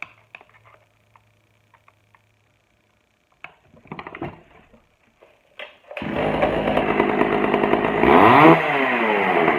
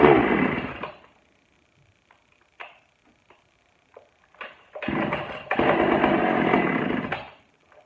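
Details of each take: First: Pioneer P41 chainsaw, old non-running saw, after carburetor cleaning and opening the low-speed screw; quiet clicks, then it fires into a crisp, steady buzz with clean throttle pickup and starts easily. Normal healthy running. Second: Pioneer P41 chainsaw from a batch of old non-running saws, first start after a carburetor cleaning; it catches in ragged bursts, stalls and picks up unevenly. Rough running, likely lean.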